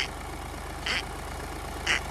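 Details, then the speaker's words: VW Polo with codes P00AF, P2564, P0045 (turbocharger A module performance): steady idle with a sharp hissy chirp about once a second as the turbo control solenoid moves slightly, coinciding with slight intake runner flap movement. "There's a slight little bit of movement in the control solenoid for the turbo. When that's making that noise, I'm getting a little bit"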